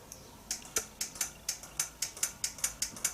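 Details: Nissan transmission solenoid being pulsed during P0745 diagnosis: crisp light ticks about four or five a second, each clicking cleanly; solenoid actuating normally.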